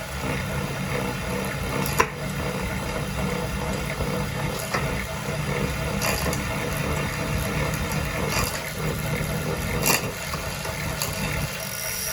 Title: SRAM AXS + Wahoo Kickr core rumbling noise